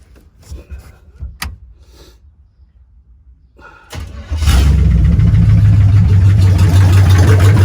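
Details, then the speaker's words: '62T V8 with a remanufactured carburetor, just started: a loud, lumpy idle with a steady knock around three a second, heard in the passenger-side exhaust. Engine knock. "definitely passenger side you could hear it in the exhaust knocking with not looking good"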